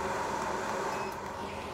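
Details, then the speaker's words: Craft AC15AFS workshop air filter scrubber after reseating a loose Molex connector behind the display: on medium speed it gives a steady, even airy whoosh with a faint hum and no knocks or rattles. Normal fan running. "Now, if I plug it back in and turn it on again, right, that's high, that's medium,"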